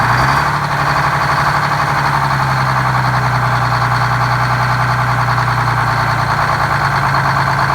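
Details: GM 4104 bus diesel, revived after about nine years sitting in a yard, with four stuck injectors freed and a bad starter replaced: settles into a smooth, constant idle with an even low hum, no stumbles or hunting; healthy normal idle.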